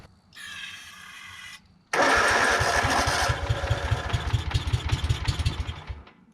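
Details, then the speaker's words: Kawasaki-engined Exmark Yazoo Kees zero-turn mower on jumper battery, fuel filter dry: short starter whirr then chugging cranking with uneven puffs that never catch; cranks but won't start, owner suspects frozen carburetor backfire solenoid blocking fuel. "all right let's see if we can get it running this time it may be an actual um issue in the carburetor my back fire solenoid might be frozen we'll see"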